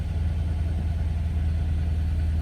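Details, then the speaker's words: 2008 Dodge Charger (owner unsure if 07 or 08) at a salvage auction yard with the check engine light on and the engine visibly shaking: low, throbbing, uneven loping idle, a rough idle with no cause identified. "You can see like the check engine light on, but the engine is shaking."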